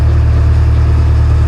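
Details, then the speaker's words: Old Grove crane with a Detroit two-stroke diesel, sitting 10+ years, restarted: deep, steady, even idle drone with no knocks or misfires, oil pressure up, runs smoothly as if just shut off; normal idle. "Let's try this again. Oh yeah. Woo. Like you shut it off yesterday."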